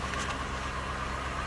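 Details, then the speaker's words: Cadillac DeVille Northstar V8 idling after alternator replacement and battery charging: thin, steady high whine over a smooth idle, indicating it is charging; normal alternator whine while charging. "I can actually hear the alternator whining, so that tells me it's charging."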